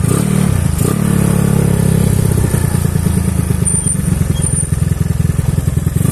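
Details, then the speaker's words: Honda Beat carbureted 130cc bore-up, first ride after a year unused following 9 months without maintenance; riding uphill, uneven clattery ticking about three per second over a rough engine note, weak top-end pull; owner suspects the engine needs a flush and reset. "Noh ada bunyi kletek kletek kletek gitu [Musik] no kedengeran kan suaranya itu udah kasar bener lah"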